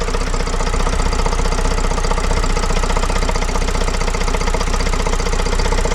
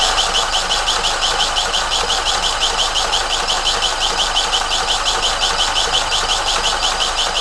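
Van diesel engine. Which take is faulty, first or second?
second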